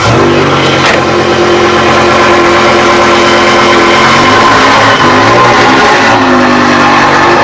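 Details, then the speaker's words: BMW M6 E63 S85 V10 on test drive after rod bearing replacement: very loud, smooth revving, even firing, no knock or tapping; engine healthy. "is probably the loudest V10 I ever driven. You can literally hear it miles away."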